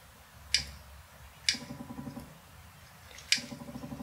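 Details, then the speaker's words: JET dust collection/air filtration system after motor-start capacitor replacement failed to help; pressing on gives sharp isolated relay clicks with faint buzz and flickering LEDs, motor never starts, even unplugged: failed 2200uF 16V capacitor on control board power supply. "in this case this fix nothing in fact unplugging the motor and turning it on gets us that same flickering light which tells me there's a power supply problem with this board"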